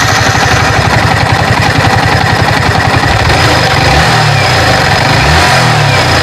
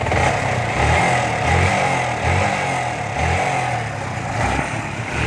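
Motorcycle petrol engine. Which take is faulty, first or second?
second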